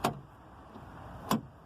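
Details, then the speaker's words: 2001 Nissan Micra K11 driver's door lock with the outside key-cylinder connecting rod disconnected and the latch closed: two short, crisp clunks a second apart; the lock unit works, so the fault lies in the key cylinder or its connecting rod. "as you can see it works so that confirms that the problem is something to do with this cylinder or the all the connecting rod that goes down to the actual uh lock unit"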